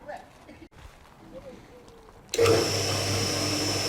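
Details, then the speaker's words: Cement mixer single-phase motor with start winding, capacitor and centrifugal switch, unloaded: quiet, then a sharp click as the motor starts, settling into a steady even hum. The centrifugal switch clicks in on start and out on slowdown, working mechanically. "actually when i start this motor i can hear the switch click and then when it slows down i hear the switch click out again so at least mechanically the centrifugal switch seems to be working"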